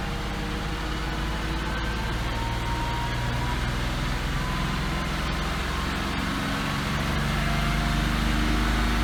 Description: ラッシュアジャスターが怪しいが、ピストンの打音かも・・・^^;